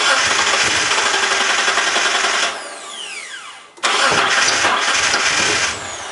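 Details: Mitsubishi 3000GT with a new starter and battery: the starter spins the engine steadily, pauses, then cranks again, but it never catches; crank, no start.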